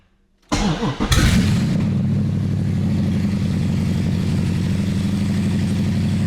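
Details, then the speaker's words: Gen 3 Hemi swapped into a 1966 Dodge Coronet restomod, first start after electric fuel pump primes: short crank, then loud, lumpy, even V8 idle through open headers; healthy normal idle. "Did you hear the sound of thunder? That is super exciting and very very fulfilling that we did all this work"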